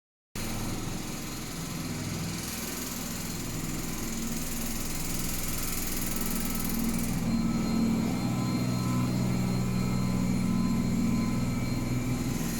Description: This is our basement noisy washing machine.